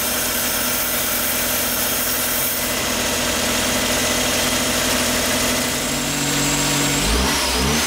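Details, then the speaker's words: Flood-damaged Suzuki Cappuccino idling after thermostat and crank pulley work: a dry, belt-like rubbing whirr under a loud airy hiss. The belt does not seem overtight; the noise was traced to the alternator, possibly a small debris. "ça fait un peu le bruit d'une courroie qui frotte sur quelque chose je ne pense pas que ce soit le bruit d'une courroie trop tendue par contre ça me donne pas cette impression"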